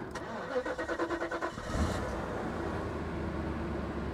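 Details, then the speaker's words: 1990 Mercedes 560SEC auction car: starter cranks about nine quick beats, then catches and settles into a smooth steady idle; engine healthy, though something on the exhaust is loose, likely an exhaust leak. "she sounds perfect yeah she sounds good she really does there's something loose on the exhaust but the engine sounds good"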